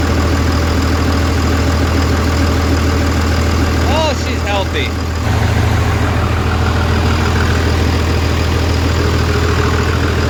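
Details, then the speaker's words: Diesel truck with a new transmission, just started after reassembly and bleeding the injectors: deep, steady idle with an even low thrum and no misses or knocks; runs with no check engine lights. "all right so she runs no check engine lights"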